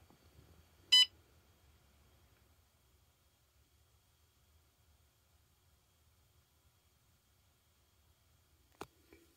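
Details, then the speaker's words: Renogy One Core with Battery Shunt 300: single short, bright electronic beep in a quiet room, the state-of-charge alarm going off (triggering at factory default 50%). "you probably hear the beeping in the background that means the state of charge alarm is going off"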